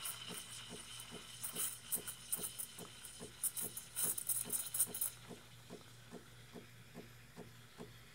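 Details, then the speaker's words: Breville Barista Pro steaming: soft, steady thumping about two to three times a second, the normal pulsing of its on-demand steam generation, which stores no steam or hot water in a boiler. "hear that thump thump thumping that's that's it making steam on the fly it does not store steam it doesn't have a boiler that stores steam or hot water"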